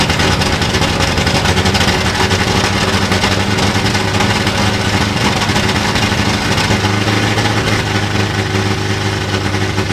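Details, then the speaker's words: 1960s Ford Galaxie V8 with a supposedly rebuilt engine, 60 psi oil pressure, idling fast and uneven, stumbling and surging without a dead miss; suspected carburetor problem, not confirmed, with a replacement carburetor planned. "It runs, and it's got 60 pounds of oil pressure. It's got some potential carburetor issues that we're going to sort out."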